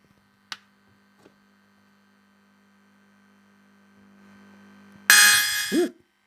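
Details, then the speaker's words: Casio SK-1 sampler during repair, speaker output: steady low hum under a loud sampled note, hum changes, with some ghost triggering; grounding issue suspected, not confirmed. "The hum does change. Oh. Oh, grounding issues."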